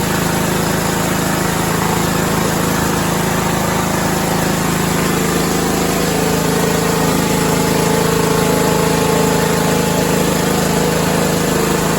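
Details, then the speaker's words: 6-year-old John Deere 100 series lawn tractor after solenoid troubleshooting: single-cylinder engine runs with a steady even hum, no surging or misses, runs good. "okay there you have it we got her running Matthew's going to put this thing out for sale and see how he does with it she runs she runs good"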